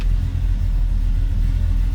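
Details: 1972 Chevrolet C10, 350 V8, Turbo Hydramatic 350 automatic, just after cold start: deep, even rumble with steady beat, no knocks or ticks; normal healthy idle.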